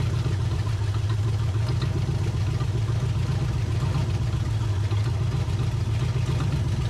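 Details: 1980 Camaro V8 on a used carburetor, old plugs, first run in over 10 years: uneven loping idle with faint clatter, seems slightly out of time, possible knock; not running well.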